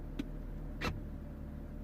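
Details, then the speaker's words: Mercedes CLK W209 convertible, engine idling: pressing roof-open button gives two sharp clicks from the rear, then a message and flashing button light; soft top does not move, cause not yet known. "okay have you heard that click and then we get the message okay and i'm keep pressing and the button just starts the light just starts flashing and nothing happens"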